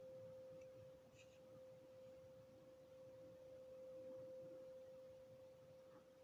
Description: I think the noise is coming over from Morriston it sounds industrial.